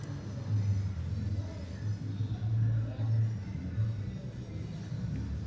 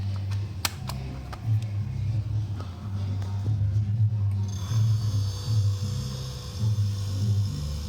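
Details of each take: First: Mabe fridge that switches on but won't start or cool: low uneven hum swelling and sagging as the compressor struggles, starts, rattles and cuts out; cause is the PTC start relay, often clogged with dirt. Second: Mabe fridge compressor running with a steady low hum and a few light clicks early on after the starting relay/PTC assembly fault was addressed; originally it rattled, started and shut off without cooling.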